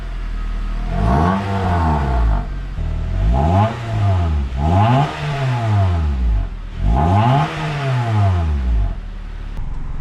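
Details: Honda Accord Euro CU2 K-series with a PLM downpipe, high-flow cat and Vibrant resonator fitted to fix an exhaust buzz: deep, smooth exhaust note through four clean revs with no rattle or drone; buzz gone, quiet and healthy.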